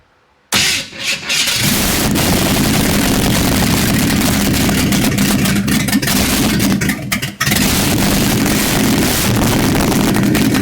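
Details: 1955 Chevrolet truck V8, first start: a loud, uneven, lumpy run with no steady beat. It runs on about six cylinders, a misfire of unconfirmed cause; it should be a flat-tappet motor.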